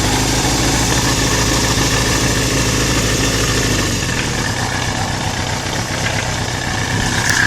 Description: Synchronized knocking sound on my suzuki GS550MD 1983.